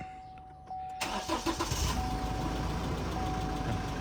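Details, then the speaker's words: 2015-2022 GMC Canyon/Chevrolet Colorado 2.8L Duramax diesel after replacing both fuel filters and priming by cycling ignition: chime, brief crank, catches within a second and settles to even idle; may run erratic until air purges. "And it may run a little erratic a little bit at first till it gets all the air pushed out of there."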